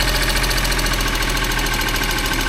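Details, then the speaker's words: Geo Metro convertible that sat abandoned, started without starting fluid: rough idle with a fast, light chattering tick over the engine note. It runs on its own but sounds a little chattery. "he sounds good guys the Eng's a little chattery it I can't believe this it didn't need St fluid or nothing sitting here just purring like a kitten man"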